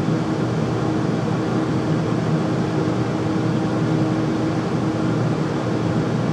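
Steady loud roar with a faint hum on top that never changes; the furnace is running noisily, cause not pinned down.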